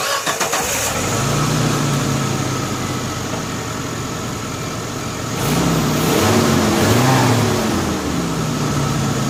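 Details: Geo Tracker that runs poorly on cold mornings, just fitted with new custom-built spark plug wires (coil wire not yet replaced): cranks, catches quickly and settles into a steady, even idle with a couple of smooth revs.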